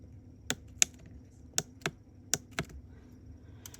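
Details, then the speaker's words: Jaguar X-Type key fob after replacing the rubber buttons and soldering in a new internal microswitch: each press gives a crisp, sharp click, six in a few seconds. The switch works normally. "So that button is in place now, and when you press it, you can hear it clicking."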